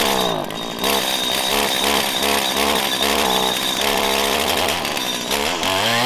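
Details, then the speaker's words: 1997 Stihl Pro Series FS two-stroke trimmer: it revs high and buzzy but hangs and bogs coming off idle before reaching its power band. This is unusually cold-natured for this trimmer, pointing to a lean low-speed carburetor mixture that needs adjustment. "a lot of people would say it needs to warm up but i've used this weed eater obviously for a very long time it's not normal for it to be very cold natured like this"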